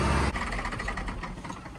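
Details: Truck air system after a simple fix, built up to full pressure then switched off: engine noise dies into a quiet, even run-down with no hiss, pressure holding; normal air system, no leak.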